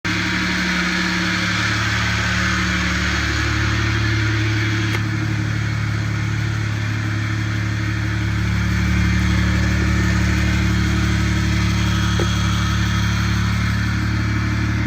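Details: Car fitted with an upgraded Spec Stage 3+ clutch and MFactory single-mass flywheel, idling: a low, steady hum with a light rattle at about four beats a second from the clutch area. Owner is unsure if this is normal.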